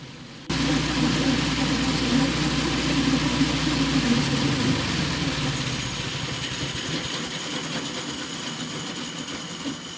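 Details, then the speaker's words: Old chain-driven snow blower after new fuel line and clamp, idle plus low- and high-speed mixture adjustments; previously wouldn't run, now not leaking fuel; steady engine with loud clattery rattle from beat-up worn spinning parts, running good despite sounding rough. "Alright, that's actually running pretty good, even though it sounds like hell. The reason it sounds like hell is because all these spinning parts moving around and that, and they're pretty beat up."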